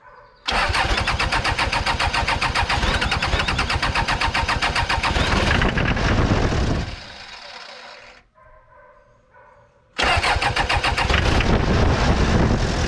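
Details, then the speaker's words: 1990s Toyota SDK7 diesel skid steer, sat for years, cranks and immediately holds a high, hard-revving drone, stops and catches again; hand throttle pushed in goes full throttle, pulled out stalls it; idle far too high, cause unknown. "if I have that pushed in it wants to go Full Throttle I have to pull it out when I pull it out it wants to cut the engine off so I have to kind of find it right in that sweet spot to kind of have it barely somewhat running"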